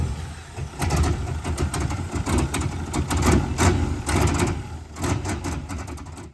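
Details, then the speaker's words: Turbo V8 Mini Cooper started after a file was loaded: a deep, fairly even, quiet V8 burble at idle with no knocks or ticks, sounding way better than before; normal idle. "Fire. That sounds way better. Yeah. All right. Well, that's good. Very quiet."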